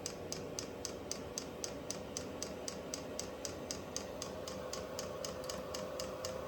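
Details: Vevor 8 kW Chinese diesel heater at first startup, fan picking up and exhaust warm: soft steady burner roar with crisp, even ticks about three a second from the metering pump; normal running, air in the line suspected.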